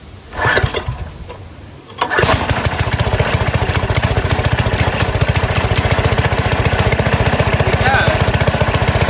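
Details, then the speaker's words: Small single-cylinder gas engine on a go-kart converted from electric, with a new carburetor, first start in a while on choke at idle throttle: after a false start it settles into a quick, steady, even putter. It is running normally. "Okay, sounds really good. Looks like the new carburetor did the trick."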